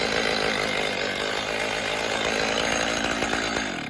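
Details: Stihl MS310 chainsaw after repair, run on oil-rich fuel mix: steady, even buzz easing off slightly near the end, no surging or rattles; sounds well tuned.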